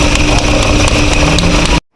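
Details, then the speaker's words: Volkswagen Vento that cranked without starting, oil nearly empty before topping up, started after opening the air cleaner and checking fuel; loud, rough running with a faint repeating knock about four times a second; engine knocking suspected, cause not confirmed. "bas na rin sa pagkakaalam ko eh knocking na rin yung tunog ng engine medyo maingay na narinig niyo naman yun sa pag-andar"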